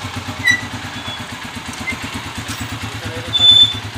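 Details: TMX155 motorcycle converted to 175cc and freshly rebored, idling with an even, steady thump after a timing gear replacement. The loud noise heard before the repair is gone.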